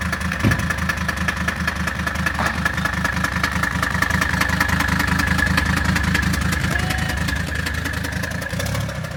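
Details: 1978 Mercedes 300CD after swapping in a 1984 OM617 turbo five-cylinder diesel with an upgraded turbo and injection pump: steady, even diesel clatter at idle with no misses or knocks; runs, but still needs fine-tuning.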